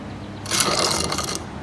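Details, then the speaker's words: Shifter kart rear axle bearing, spun by hand after cleaning: short gritty rasping bursts instead of a smooth spin; rough worn axle bearing. "that's not good we just got to go ahead this one's almost as bad they're not spending we're just going to go ahead and replace those as well"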